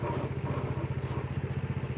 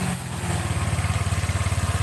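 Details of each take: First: Honda Vario scooter CVT, engine running with the rear wheel held: rough throbbing rumble pulsing about eleven times a second that vanishes when the wheel turns; worn CVT pulley bearing, replaced and then smooth. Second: Honda Vario scooter CVT after repair: a rough "krosok" noise was heard when the rear wheel was held while the engine ran; now a steady, even low pulsing with no rough rumble or grinding, the belt drive sounding healthy and smooth.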